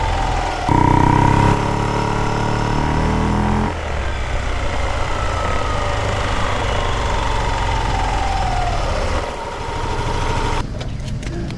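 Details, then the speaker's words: Yamaha Aerox, microphone taped at the CVT, engine blipped then freewheeling: loose stone-like rattle as revs fall, silent under throttle; owner suspected a crankcase bearing, finding was a worn torque drive bearing. "Para siyang ano eh, para siyang bato na parang gumaganon kapagka nagm-menor ka na eh."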